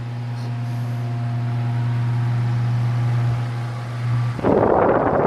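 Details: Late-1940s–50s Hunter CG-16 industrial fan, found weathered, after freeing and lubricating the oscillator mechanism: steady even low hum, no scraping or knocking, ending in handling noise; motor running healthy.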